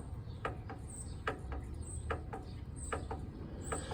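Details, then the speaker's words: Kohler garden tractor engine rotated slowly by hand: sharp light clicks about every 0.8 s; owner suspects a wiggly camshaft and hopes it isn't the gears; the knock is heard at low rpm and goes away at higher rpm. Unconfirmed. "Pretty sure I found my problem though. Wiggly cam shaft. I rotate the engine. There's that sound."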